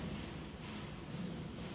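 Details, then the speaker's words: Escea ST900 gas fireplace secondary control pad under the fascia, after the ignition sequence finishes: a short, high electronic beep with the red LED at each button press, a normal confirmation tone. "You have to wait for it to finish its ignition sequence, and then every time you push it you should hear the beep and see this little red LED go."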